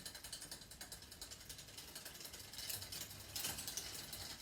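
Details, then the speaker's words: Bicycle front derailleur adjustment, shifter released to first gear: steady chain ticking and rubbing rattle while pedalling as limit screw is backed out and chain tries to drop onto the small chainring. "What we can do is wind it out, pedal it until it does. You can hear it trying."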